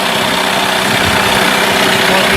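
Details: Mercury 8HP two-stroke outboard, unknown storage time, in test tub, neutral with a little choke, started on second pull: even buzzy steady running, no misfires or surging; healthy.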